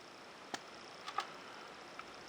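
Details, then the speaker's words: Restored circa-1937 De La Rue Onoto Minor 1201 B9 plunger fountain pen (14c nib) filling normally: nib and part of feed immersed in ink, it draws on the downward plunger stroke with faint sharp popping in a quiet room. "they actually they fill on the downward stroke only okay you may hear like a little popping noise"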